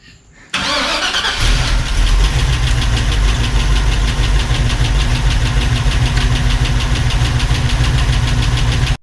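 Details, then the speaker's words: 1986 Chevrolet C10 with Gen 6 454 big-block V8 at idle: quick, light ticking about three per second from stock rocker arms tapping, out of adjustment because the cam is too aggressive; fixed with adjustable roller rockers, studs and valve lash. "we're actually going to be able to adjust these because the cam is a little bit too rowdy shall we say for the stock ones and it's tapping"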